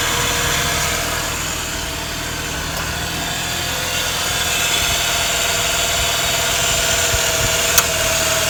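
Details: 131k-mile Mazda RX-8 R3 rotary at steady idle with a loud, constant airy hiss over the hum. The owner is unsure whether it is a vacuum leak and suspects starting issues from ignition or a worn engine. He is considering a silicone aftermarket replacement.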